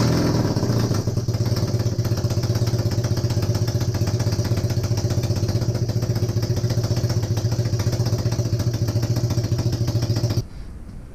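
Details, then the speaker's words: Honda CB250N Superdream twin, rebuilt from boxes of bits, with new spark plugs, first successful run. A steady, low, fast-beating idle holds even for ten seconds, then cuts off. Normal running; owner suspects the base gasket for a front oil leak. "just so bloody happy right now finally we got some life out of it"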